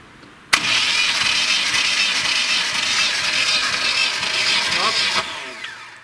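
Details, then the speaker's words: VAZ-2106 with a 1.3 L VAZ-21011 engine that misfires, knocks, smokes and burns oil, cranked with the electronic ignition disconnected and throttle open for a compression test before teardown: steady, weak, soft cranking with no firing, showing low compression. "перед тем как разбирать двигатель замеряем компрессию здесь электронное зажигание стоит снял с него разъём чтобы не повредить"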